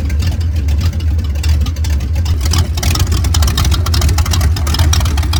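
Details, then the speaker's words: 1989 Ford Mustang GT Fox body V8 with catalytic converters removed, shorty headers into about 2 ft pipes ending before the cat position: loud, deep, choppy rumble with raw crackly edge; healthy engine on open pipes without cats. "So like I showed in an earlier video, I have the cats out of this thing, so it's just shorty headers, and then to the pipes that go right before the catalytic converters, which are about 2 feet long. So this is what it sounds like when it's got open pipes on it."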